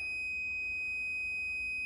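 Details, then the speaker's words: Multimeter set to continuity (buzz) mode probing the yellow PWM wire of a combi boiler fan wiring harness; a clean, steady high-pitched beep for about two seconds confirms continuity on the correct cable. "we're on buzz and i'm going to try and connect my touching the yellow cable and as you can hear we've got a buzz"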